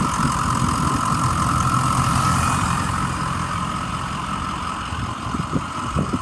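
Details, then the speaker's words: 2006 Ford E-450 Super Duty Blue Bird Handy Bus, 6.0 L diesel, recently retired, needed starting fluid to start; even idle rumble with steady hum, no knocks or misses; check engine light on; normal idle. "sounds really good the check engine light is on so that could be a sensor that could be anything"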